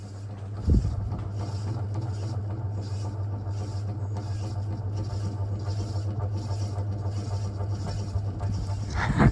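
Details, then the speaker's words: Antique Indola PVB 90 cm 70 W ceiling fan on a speed controller, noise partly fixed: steady low hum with a gritty rough rumble underneath; bearings not happy, quieter than before, further work planned. "they are not happy but at least it's working and it's not as loud as before"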